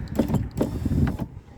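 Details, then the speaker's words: 2016 Ford F-150 3.5 driver's door window that goes only halfway up: short strained motor bursts with rubbing clunks as the glass binds on a wiring connector inside the door, stalling the window motor. "But I can hear that there is something either was broken or rubbing against something. So I saw that this window is rubbing against the connector here. So it was getting stuck."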